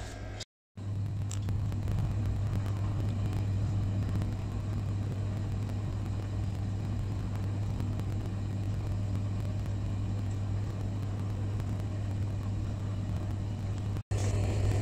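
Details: Glow-worm boiler after pilot repair, warming up with pressure rising: low, even burner rumble holding steady, no popping or surging; firing normally.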